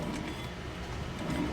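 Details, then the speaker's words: 2000 Audi S4 B5 with 300,000 miles, front hub turned with the wheel off: rough, gritty grinding from the worn wheel bearing being replaced. "I think we found our bad wheel bearing now."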